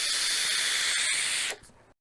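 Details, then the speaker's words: Geek Vape Griffin 25 sub-ohm tank using the bottom airflow: a loud rushing hiss on the draw that cuts off sharply when inhaling stops; the bottom airflow is noisy, a slight flaw, and a V2 with quieter airflow is wished for. "a V2 of this with quieter airf flow would be amazing"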